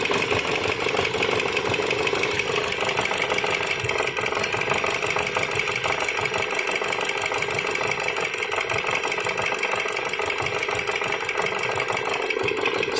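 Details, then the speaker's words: Dodge Journey 2.4 with replaced engine, computer and harness: uneven misfiring idle with a hard, rapid tapping about three per second. The knock sounds like a rod or main bearing but is unconfirmed; heavy oil leak. Coil secondaries were being scoped per cylinder. "y aparte se escuchaba el motor que golpetea muy feo como en una biela o en la bancada"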